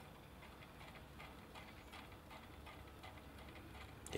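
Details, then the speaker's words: Mr Steele motor from a dead RC unit, turned by hand after unsoldering the ESC; faint, rough ticking about 2.5 times a second—worn bearings that do not sound healthy, before bearing replacement. "those bearings do not sound healthy"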